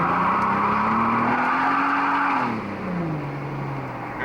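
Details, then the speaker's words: 1995 Nissan Maxima 3.0 after fixing a torn intake boot and holed spark plug wires, formerly misfiring under load: pulls cleanly with rising then falling pitch and a short tire chirp, no stumble; normal acceleration. "it'll spin the tires pretty good for a little race car huh"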